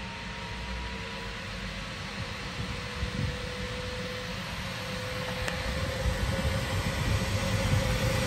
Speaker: wow that sounds sweet that is sweet as a nut let's hear the whistling inside God that is very quiet hardly any vibrations on it I know it's empty but still